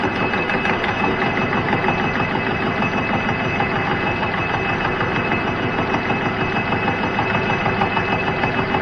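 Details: Cincinnati milling machine cutting through a hardened weld: steady milling noise with a rough thump about three times a second as the hard weld comes around. An interrupted cut.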